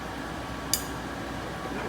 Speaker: Hear that? I just broke a tack weld. That's what that was.